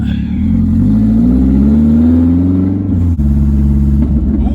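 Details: 1999 Mazda Miata (NB) with exhaust removed, no catalytic converters, pulling away and reversing: loud deep uneven burble swelling and rising in pitch, raw unmuffled open exhaust.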